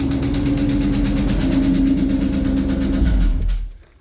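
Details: 2003 SVT Cobra V8, freshly built engine on first start, conventional break-in oil: quick light tapping about three per second at idle from the valve cover area; persists with supercharger belt removed, cause unclear.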